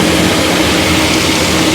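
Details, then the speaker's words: Farmer-built Pelton-wheel hydro turbine driving an induction motor as generator, after fitting correctly sized motor: steady mid-pitched hum under rushing water, no knocks or shaking; output up from 2,100 to about 2,500 W, much quieter than before's loud, shed-shaking running. "so yeah I think this is mostly a success we've improved the power and it's running much quieter now that's the key thing"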